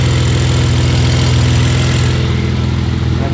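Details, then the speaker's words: BMW E46, bought in rough shape: at idle a loud, lumpy misfire that stumbles now and then, cause unconfirmed; coolant leaking from hose through head, owner plans to replace injectors and idle air control valve. "Let's start this thing up. You can really hear the misfire now."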